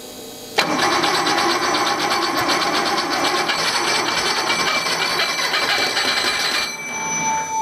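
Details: 1969 Porsche 911T engine, first start-up after rebuild and Marelli distributor install, carbs primed, still untuned; fires at once, runs about six seconds with quick busy beat before cutting back: normal start-up.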